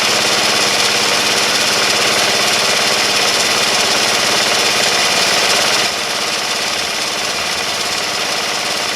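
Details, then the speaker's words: Honda CH80 Elite 80 scooter after engine rebuild, first start, totally cold engine at 32°F: busy, rattly single-cylinder clatter at steady fast idle dropping slightly near the end; engine running normally. "we've got the engine back in the ch-80 and now it's time to fire it up and see if it's going to come back to life this is a totally totally cold motor"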